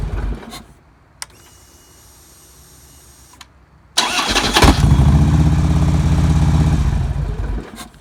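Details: 2009 Harley-Davidson Road King after a starter clutch replacement for a horrible starter noise. A clean crank catches into a steady, lumpy V-twin idle with no metallic grinding, far better than before the repair.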